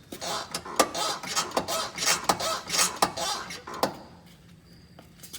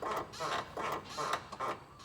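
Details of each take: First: 2000 GMC Jimmy SLE front suspension rocked by hand: sharp pops about every three-quarters of a second with creaking between, despite all-new ACDelco parts (control arms, shocks, CV axles, hubs, brakes) except torsion bars; owner has no idea of the cause. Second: 2000 GMC Jimmy SLE, front suspension rocked by hand: six short rubbery squeaks in quick rhythm, minor and acceptable, despite nearly all parts new ACDelco (control arms, shocks, hubs, CV axles, brakes; original torsion bars); separate popping over road seams remains unexplained.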